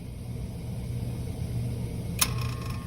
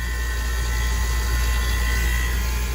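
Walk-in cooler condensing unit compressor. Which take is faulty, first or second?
first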